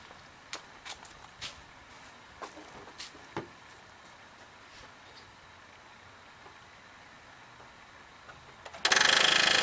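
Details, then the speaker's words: 2009 Nissan Rogue with a new starter and a new battery: two bursts of rapid harsh clicking when the key is turned, and the engine never cranks. "he has a new starter and he has a new battery in the car is just clicking"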